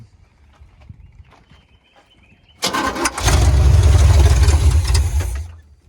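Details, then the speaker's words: 1980 Chevrolet Silverado 30 series big block (assumed 454), sat for years, on a newly hooked-up electric fuel pump: the starter spins it about four revolutions a second with no firing. The carburetor isn't squirting, so starter fluid is needed. "Problem is she's not squirting out of the squirters. So, uh, we need a little fural to get her started and to get her going."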